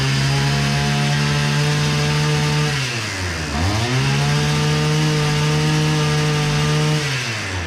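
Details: Hyundai two-stroke brush cutter after repair for low revs and a slow-turning head: steady high buzz at full throttle, one brief dip midway, then climbs straight back and holds cleanly.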